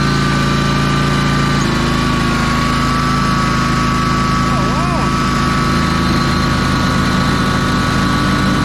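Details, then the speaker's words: Ferris 52-inch commercial hydro walk-behind mower after carb cleaned and bowl O-ring refitted: steady even hum at constant speed with no stumbles, running smoothly; drive belt later popped off. "let's test this [Music] out that sounds pretty good oh that's a lot"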